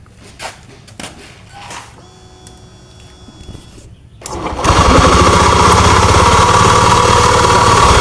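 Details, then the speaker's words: Honda Beat FI scooter with juddering complaint, CVT ratio not spinning: after quiet start engine settles into loud, rough, even rumble at idle, already present without the CVT; crankshaft bearing suspected, not confirmed. "jadi tanpa e rasio muter ini suara sudah muncul kita cek dan analisa Apakah suara berpusat dari mesin ataukah dari bagian area CPT"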